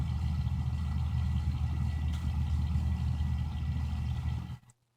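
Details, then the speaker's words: Xbox One fan noise present from day one: steady low drone with a rapid flutter of about three or four ticks a second, like a playing card in bicycle spokes; a fan blade is catching, a hardware defect needing replacement. "so there you go it sounds like uh a squeaky belt or some sort of uh strange noise like a uh bicycle wheel with the card in it"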